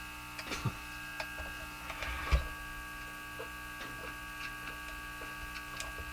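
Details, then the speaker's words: Japanese Zephyr Model 1 radio at full volume: steady buzzing hum with fixed overtones and clicks, seemingly louder after a re-soldered wire; owner suspects that wire is not connected, cause unconfirmed. "It's full volume. The hum seems louder now, doesn't it? Uh, if this wire is not connected, then that might be the reason."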